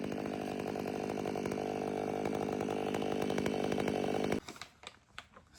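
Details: Warmed-up, Empire Workshop-ported STIHL MS500i with stock air filter, 32-inch bar, sharpened chain and seven-pin sprocket: a strong, steady high scream holds pitch through a long cut, then drops quiet at the finish. Healthy under load.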